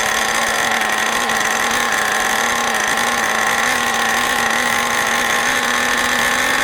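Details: New OS 40 FSR model engine, second tank of break-in: constant steady high-pitched scream, running faster than wanted; high and low speed needles still need adjusting.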